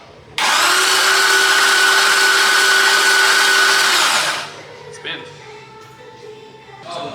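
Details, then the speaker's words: LS-swapped Datsun 280Z, oil pre-filled by pressure tank, cranked with injectors, fuel pump and coils disconnected: steady starter whine about 3.5 seconds, evenly spinning without firing; healthy cranking. "I have power disconnected from the injectors should have no injector no fuel pump I have the coils undone I'm going to crank it"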